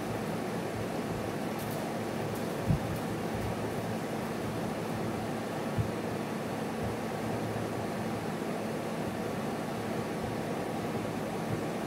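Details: GE window air conditioner AHC12LYW1/ACH14AZW1 (12,000 BTU) running after DIY control-board bypass of the 88-symbol/beeping shutdown fault; steady, even rush of air over a low hum, fan on high, normal running.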